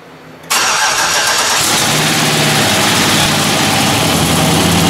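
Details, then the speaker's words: LS V8 first start after installing Yella Terra roller rockers, LS7 roller lifters and LS9 multilayer head gaskets: busy idle with a fine, fast clatter on top from new lifters not fully pumped up with oil; hoped to quiet down. "we tried pumping up the lifters with oil but likely they didn't get pumped completely so there will be noise with those lifters we're hoping that the noise will quiet down after a little while and the engine will smooth out"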